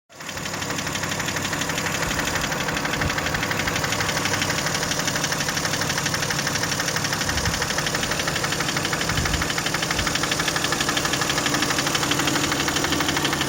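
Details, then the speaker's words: Toyota 1MZ-FE V6 at idle, knock appeared at first start after spark plug change, intake manifold removal, injector seal replacement and throttle body cleaning; steady even tapping about three per second, seeming to come from the left, near the middle, quieter than before; cause unknown. "Звук, кажется, идет где-то слева. По-моему, больше слышно. Ближе к середине. Но стал тише, чем был."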